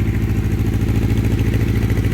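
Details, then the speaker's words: 1984 Honda CB700SC Nighthawk, first run after oil-leak gasket fix, carbs previously rebuilt elsewhere, full choke, not cold outside: fast idle steady low thrum with slight irregular clatter; one side sounds funny, possibly a cylinder not firing. "leave it on Chu for a second this side sounds funny let's take some choke off here it's not cold outside by any means"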